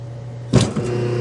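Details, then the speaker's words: 1/2 hp dual-voltage single-phase motor after rebuild with new capacitor and bearings and refurbished centrifugal switch, no load, unbolted, drawing about 3 amps: sharp thump at switch-on, then steady even hum, not warming; normal running. "we're not getting warm at all we got no load on this and we are drawing about 3 amps and you should hear the centrifugal switch snap back right"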